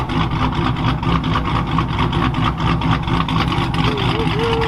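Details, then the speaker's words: Cold-start idle of 5.7-liter "Joker" V8 with Texas Bean Stage 2 cam, on the dyno before tuning on a crisp, cool morning: deep, choppy idle rising and falling about twice a second; a normal lopey big-cam idle. "Joker sounding good on this crisp, cool morning. We'll get some tuning on this thing, see what she makes."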